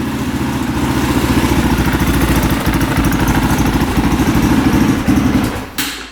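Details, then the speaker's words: 2003 KTM SXC 625 Supermoto single-cylinder after a carburetor clean fixed its poor running. Crisp, regular thumping at a steady idle with no stumbling before shut-off. Normal idle, bike fixed. "So all it took was a carb clean, and this thing is fixed. That does not happen very often. Wow. This sounds really good."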